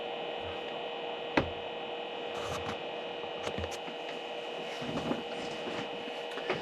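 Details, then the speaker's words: OWC 4M2 enclosure's stock cooling fan with the external drives shut down: steady low hum with fixed whiny tones and a few handling clicks; noisy fan, later replaced with a quieter one. "It drives me nuts. It's just a constant low-level hum."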